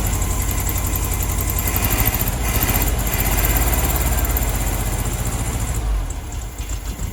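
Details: 1972 VW Beetle 1200 engine, first start in over two years, air cleaner off: uneven, lumpy loping idle with dropouts in exhaust pulses; not firing on all four cylinders, which cylinder unknown.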